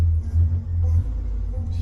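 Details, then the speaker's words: 1948 Crosley, started right up after sitting without a battery tender: deep steady low rumble with even beat and no knocks or misses; old engine running smoothly. "Been sitting out here without being on any kind of battery tender for quite a while, but it started right up this morning."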